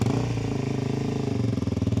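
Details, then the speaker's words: 2006 Suzuki DR-Z400SM single-cylinder, bought non-running: uneven lumpy thump that sags and cuts out; it bogged above roughly 3,000-4,000 rpm, lacked power, idled too high and broke down. "and it pretty much ran like crap. It bogged down after about 34,000 RPM, didn't have the power that it should have. It idled too high"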